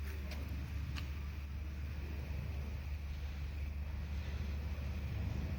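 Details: BMW 3 Series 318i 2.0 (09/05–08/07): a low, uneven engine rumble with an irregular stumble at idle; a misfire of unknown cause.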